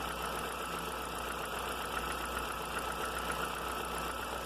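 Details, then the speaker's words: Audi A3 at idle, noise appearing some time after start, intermittent; light uneven ticking about two or three a second from the engine top; owner suspects a hydraulic lifter not pumping up, not valves or bottom end; oil pressure test planned. "Pra mim esse barulho é o tucho que não tá carregando direito."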